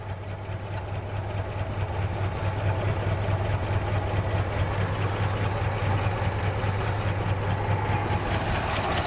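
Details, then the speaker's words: 1965 Chevrolet Bel Air, 283 V8 with Powerglide, first start after 27 years and smoking: uneven lope with lifter ticking about two per second, and one plug wire sparking off so one cylinder is probably skipping. "You know, you can hear the lifters, but I hear one for plug wire, so we know that it's probably skipping on one cylinder because of that."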